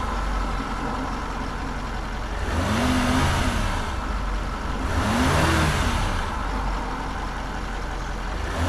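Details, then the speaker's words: Land Rover Range Rover L405 with rough running, during a throttle body swap: engine revved twice with a faint rising whirr over the roar. It seems to come from the intake, perhaps a valve opening and shutting, but this is unconfirmed. "all right let's drive it up and down the strange noise coming for the intake so this intake here"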